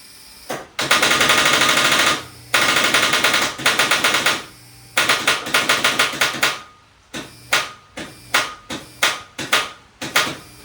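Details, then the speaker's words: 1997 Ford F-250, first start attempt; bursts of rapid dry clicks with no cranking, starter chattering; owner suspects battery or its connection, ground cable in rough shape. "It's either battery connection or battery. The ground's in really rough shape, so I'm going to see if I have one to replace it."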